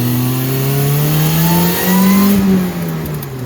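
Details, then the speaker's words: 1990 Mazda Miata 1.6 with Jackson Racing M45 supercharger kit, first drive at about 5-6 psi boost: as throttle opens a thin whine rises in pitch with engine speed; healthy supercharger whine under boost. "Oh yeah, you can hear that whine when we go under boost. Love it."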